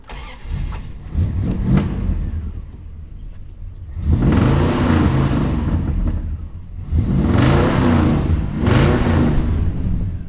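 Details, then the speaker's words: 1970 Plymouth Fury III convertible, 318 V8, 904 automatic, started to check the belts for squeal: cranks, catches and revs with a clean rising and falling note and no chirp or squeal. Belts normal. "I'm going to start it and make sure they don't squeak real quick"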